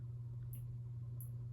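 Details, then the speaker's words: 1981 Casablanca Zephyr ceiling fan running: steady low motor hum with faint high chirps about every two-thirds of a second; bottom bearings oiled, top ones untouched, unclear which bearings are noisy. "I basically just put some oil in the bottom bearings and didn't touch the top ones. So you do still hear some bearing noise,"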